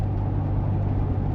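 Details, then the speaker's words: 2002 Nissan Xterra V6, 4.90 gears, after repair, driving in rain: smooth, deep, even engine drone pulling steadily under throttle, no misses or knocks; running well. "Yeah, it's running good though. Can you get into it a little bit? Oh yeah, can you hear that power?"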